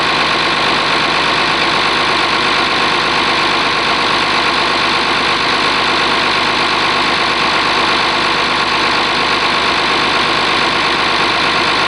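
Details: Oliver 1850 diesel tractor after a cold start, gauges showing charging: steady, even idle with no knocks or misses throughout, sounding warm and settled. Normal idle.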